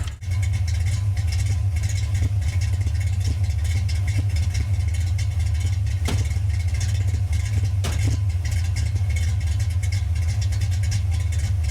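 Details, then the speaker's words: Car with old-school Flowmaster exhaust, after disconnecting belt from suspected bad alternator: steady even low idle rumble with no knocks, misses or rattles; normal idle, runs great. "ooh she sounds good you got to love them old school flow Masters"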